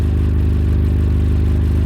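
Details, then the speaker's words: Suzuki Carry that failed its MOT on emissions, idling, heard from underneath: steady low idle with rhythmic puffing chuff at each firing, exhaust blowing out a rusted hole; exhaust leak. "it does sound like there's something blowing well there's our hole anyway yep it's blowing"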